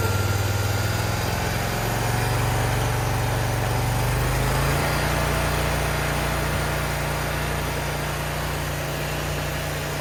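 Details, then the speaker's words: Briggs & Stratton Vanguard engine on a Vermeer SC362 stump cutter after bent pushrods were replaced and valve lash adjusted, not yet fully warm: it climbs from idle to higher throttle and holds a smooth, even beat with minimal vibration and no ticking. "Sounds a lot better than what it did before. Very smooth, in a minimal vibration. Let's throttle it up."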